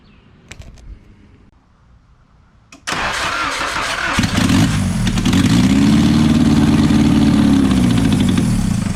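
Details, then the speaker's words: Nissan 240SX engine after timing adjustment, cranked with gas poured in as a backfire test: cranks briefly, catches and runs two or three seconds with a rising even note and no backfire; timing close enough. "so all right so that's actually really really good news right there it only started for like you know two or three seconds as you saw but it didn't backfire"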